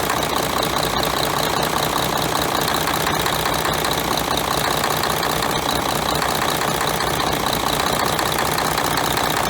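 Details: Mercedes-Benz MTU OM501LA diesel in a John Deere articulated dump truck: heavy idle with a rough rapid knock and hissing blow-by, caused by broken piston rings on cylinder 2; fixed by replacing the cylinder kits.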